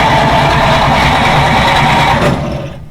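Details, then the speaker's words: 1940s Dodge military truck converted to fire truck, sat about 30 years: steady starter cranking, even chug about 2.5 turns per second, oil pressure building but never fires; no spark. "But no spark. Unhooked. So, gotta evaluate whether this is building spark or not."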